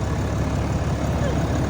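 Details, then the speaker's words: Dodge Cummins diesel just after a FASS Titanium Signature Series fuel system install. A deep, even diesel idle with steady clatter and no misses, stumbles or knocks: normal idle. "Man, you hear that pretty sound? That Cummins sounding good."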